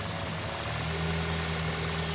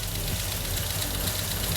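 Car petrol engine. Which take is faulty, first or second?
second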